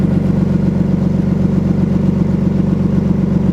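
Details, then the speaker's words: BMW E34, manual, first cold start of the morning: steady even rumble at raised idle around 1,000 rpm, no misses, knocks or rattles; drops to 650 once warm; healthy. "It idles out around 1K when it's cold, and then it drops down to 650."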